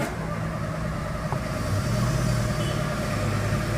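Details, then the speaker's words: VW Fox 1.0 VHT after fault codes cleared: starter churns steadily about four beats a second but engine never fires; cranks, no start, no check-engine light. "Entrei aqui, vamos tentar dar partida no bicho. Never. Não dá partida. Sem chance."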